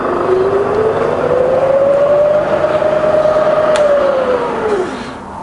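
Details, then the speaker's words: Bridgeport milling machine with variable-speed head and 42-inch table, running in high range from the top speed down to 450 rpm: smooth steady whine rising slightly, then falling evenly as speed is lowered, with no knocks or grinding. Normal spindle running. "so reverse is just a quiet we're in high range at this point in time so look to the top there's two 9000 in high range here are quiet that is lovely"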